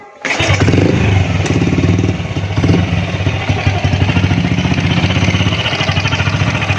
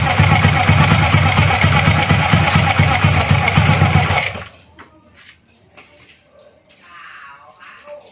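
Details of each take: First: Honda Astrea Grand motorcycle: at idle a rapid chattering pulse with a thin crying "nik nik" whine from inside the alternator (magnet) cover; after opening the cover, the noise was gone. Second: Honda Astrea Grand motorcycle after disassembling the magneto cover to fix a whining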